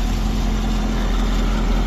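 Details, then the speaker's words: 2020 Chevy Camaro SS after fixing P0420 exhaust leak at catalytic converter with silicone: low, steady V8 idle with smooth even beat, no ticking or exhaust puffing; leak gone, runs clean. "So I seal it, put the silicone around and board it in, put everything back on, let it sit for like 3-4 hours, or you can let it sit overnight. No more leak now. Everything sounds good."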